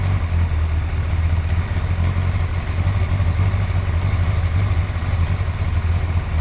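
Deep lumpy idle with faint, fast light ticks above the exhaust burble, steady at idle speed; cause unclear.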